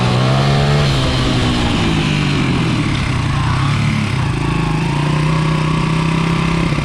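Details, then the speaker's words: 1995 Honda XR80R 80cc kids dirt bike after replacing an undersized main jet with the correct Honda jet: full throttle in first gear over a 100-yard run, strong steady exhaust note climbing cleanly with no hesitation; bog fixed. "That's a night and day difference. That's running just the way it's supposed to. Running exactly like the other bike. Lots of power, gets the throttle going, you know, right from beginning to end. No hesitation."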